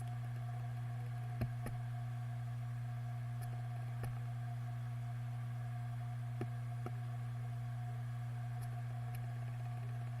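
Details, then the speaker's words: Western Digital MyBook 1TB external USB drive (WD Green) failing after over 7 years power-on time: steady spindle hum with small sharp clunks every few seconds, even warmed up at idle; spindle motor believed fine. "after a while even after it's warmed up and even an idle every 10 or so seconds it will make a like a clunk noise"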